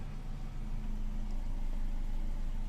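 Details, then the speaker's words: 2017 Toyota Vios after repair of near-knocking engine noise, hum traced to oil pump, oil warning light now clears normally; steady quiet low idle, even hum, no knocking or tapping. Normal idle. "tahimik na po siya wala na po"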